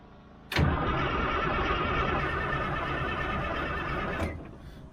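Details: Old army 6x6 truck, diesel, after bleeding air bubbles from the fuel system: steady fast cranking for about four seconds with oil pressure building but no firing, engine never catches. Owner suspects air remains in injector lines; not confirmed.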